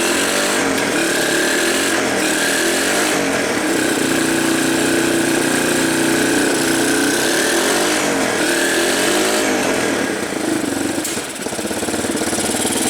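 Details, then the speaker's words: 1985 Yamaha BW 200 started after sitting since 1997: busy, even single-cylinder beat at fast idle with no backfires. The earlier top-end noise has quieted, which the owner suspects was a slightly stuck valve. "hey not backfiring probably just had a little anymore of a stuck valve boy that sounds good"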